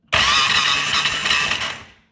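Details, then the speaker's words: 2013 Polaris RZR 800S 2.0 after engine rebuild: two seconds of harsh high-pitched grinding while cranking, engine not catching; owner fears the starter Bendix drive, hopes it's just the starter; grinding when cranking. "it's not sounding good guys might just be one more of them things that I got to freaking deal with"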